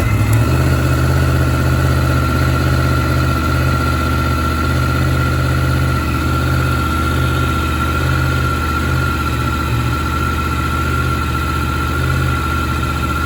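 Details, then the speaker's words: Yamaha MT-10 motorcycle, stone-cold start after sitting about 3 weeks on a trickle charger. It catches and settles into a steady, even idle with a firm low pulse and no ticks or knocks. Normal cold start and idle. "So it's been sort of stationary for like 3 weeks. So the battery did all right there to start up, but it's got a trickle charger on it."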